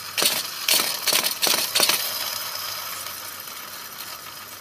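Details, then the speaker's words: BMW E46 M54 belt tensioner pulley spun by hand on car: rough clattery rattle then gritty whir, spins too freely and wobbles, worn bearing; being replaced. "that is not supposed to spin so freely see how that one stops cuz there is a good one matter of fact that's not supposed to really wobble like that and you can kind of hear the noise that I was"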